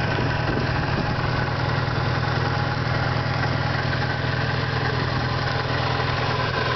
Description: 91 eagle talon tsi small 16g turbo, adjustable wastegate... i think either a pulley is going out or some valves are messed up or timing belt is being replaced in a week maybe its stretching the timing